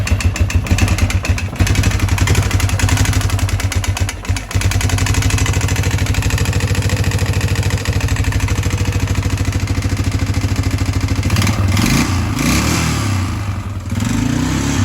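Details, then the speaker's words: 1997 Yamaha Big Bear 350 ATV single-cylinder engine at idle, smoking a little: loud, sharp ticking that keeps pace with the engine's beat; suspected bad valve tick, head to be pulled to inspect the valves. "It's got a pretty bad valve tick, so I'll show you what that sounds like, and then we're gonna tear into her."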